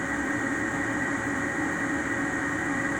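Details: Ametek 117104-01 draft inducer motor after replacement of the noisy, non-starting unit: steady even blower hum with constant whine, no rattle or scrape; runs like new.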